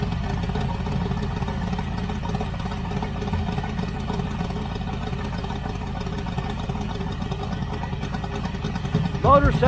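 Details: 1980 Z28 V8 idling after installing a new knock-off Holley 4-barrel carburetor: deep, even rumble with steady beat, no knocks, misses or stumbles; engine sounds healthy and carburetor works well.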